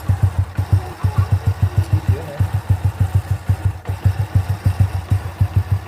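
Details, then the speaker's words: Honda C800 motorcycle (C100-based engine) idling after repair of a ticking from the left-side magneto cover, caused by a loose plate that was reglued. Now an even low thump with no ticking. "Nah, itu dia hasilnya setelah kita melakukan perbaikan di bagian magnet ya."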